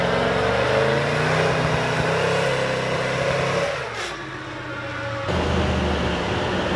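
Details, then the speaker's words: Boosted LS V8 drag car revving hard with a ragged, uneven note, stuttering and cutting out under boost; misfire/breakup, cause not yet found, though earlier runs were fine. "right oh guys so we still have a few issues um you can probably hear from the footage it's breaking up it's causing a few issues"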